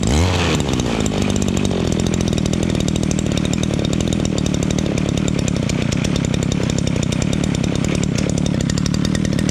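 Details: Two-stroke shoulder-type brush cutter that would not start, after checking fuel, pumping the primer, and checking the air filter and carburetor: fires within a second and settles into a steady, even buzz that holds speed without stumbling; runs healthy.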